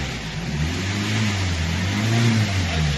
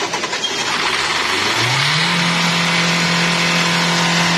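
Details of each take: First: Hyundai Creta diesel with a starting complaint: it cranks a long while before catching and running. The 4th injector shows low pressure at the return pipe, so the injectors are leaking fuel back and causing the long crank. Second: Hyundai Creta diesel that used to need a long crank before starting. After the injectors were washed and checked and the air was bled, it starts on a single crank, revs up and settles into a steady, even drone. It starts and runs normally.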